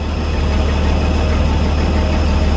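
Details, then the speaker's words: 1961 GMC 5000 with 351 V6 just converted to a Holley carburetor, not yet tuned: steady low rumble with even firing and no miss or stumble, idling smooth. "Smooth right out."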